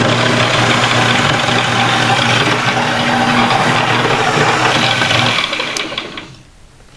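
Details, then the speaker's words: Mini lathe 90 V DC motor, about 2500 rpm estimated, burned up after smelling warm and failing to restart, now under load: a steady whir with a gritty grind and arcing, then spin-down. Worn brushes arcing on the commutator. "It just it started making that grinding noise and it started arcing."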